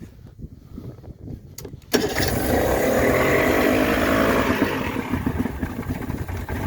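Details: Mercury 40 hp two-stroke outboard, just refitted after a water pump impeller replacement, is cranked with a little throttle at a steady four-odd turns a second for several seconds but never catches; a no-start.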